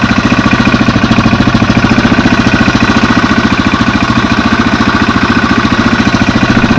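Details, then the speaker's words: Single-cylinder project motorcycle (replacement part off an '88) running after coil confirmed working: steady, even thumping idle, no obvious knock; owner suspects it might be burning a little oil and is unsure whether it sounds normal. "Might be burning a little oil. You guys can hear that. That sounds normal to you, or if it sounds like"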